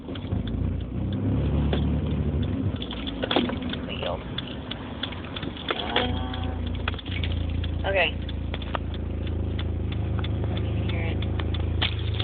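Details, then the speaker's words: 2005 Dodge Neon coming to a stop after cruising at 55 mph: deep steady low drone throbbing under the idle with slight uneven surge; horrible thrumming noise at idle, quieter in third at 40 mph, cause not yet found. "it that's a horrible thrumming noise at idle sounds like it's kind of surging"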